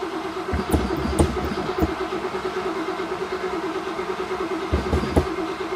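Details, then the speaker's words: 1963 Oldsmobile just converted from a leaky mechanical fuel pump to an electric pump (heard running): starter churns in uneven bursts and the engine cranks but won't start; the choke wasn't set, and it fired once set. "ah you know what I forgot to do I forgot to set the choke that might help"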